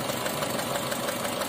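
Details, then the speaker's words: 2012 Honda Brio, 80,258 km, check engine light on, rough, unstable idle and vibrating engine; unplugging coils one at a time, coil 1 gives no change: lumpy, stumbling idle, cylinder 1 misfire. "Jadi untuk yang pertama itu enggak ada perubahan dan untuk yang kedua ini ada perubahan ya temen ya"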